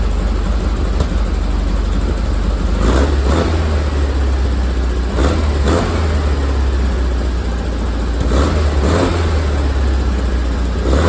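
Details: VW Bus air-cooled engine just after tuning the dual carbs and synchronizing them with a snail tool; idles steadily with a few clean throttle blips, no stumbling or surging, carburettors running evenly.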